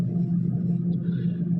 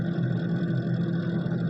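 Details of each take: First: Refrigerator after being switched off to melt ice buildup that made the fan noisy; only a low, steady hum with no rattle or scraping from the fan; normal running. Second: Refrigerator: steady low hum with fluttering, scraping rattle as the evaporator fan blades hit built-up ice; fix is switching fridge off two to three hours to let ice melt, after which noise stopped.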